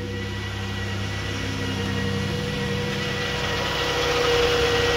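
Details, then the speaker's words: 2011 Dodge Grand Caravan, previously cranked but would not start (key reprogramming possibly needed): steady even idle, smooth low hum, no misses or knocks; now starts and idles normally. "now you can see the vehicle is running now"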